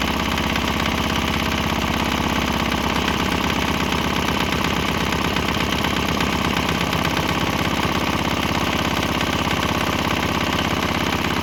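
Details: Swan X 165F Chinese single-cylinder diesel on a shipping crate, throttle on start, running on used canola fryer oil: even clean chug around 170 beats a minute with a brief tempo shift and exhaust note change; running fine.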